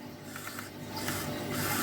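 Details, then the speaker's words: Used white Sony PSP 1000, bought as spares or repairs, charging and switched on: short burst of dry clunks and clicks over faint whir from the UMD disc drive; very clunky UMD noise, cause unclear. "It is making some, well, it was making some very clunky UMD noises."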